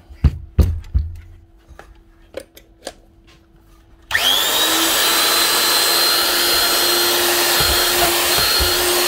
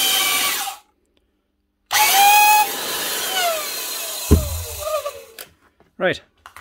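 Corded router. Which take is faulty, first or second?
second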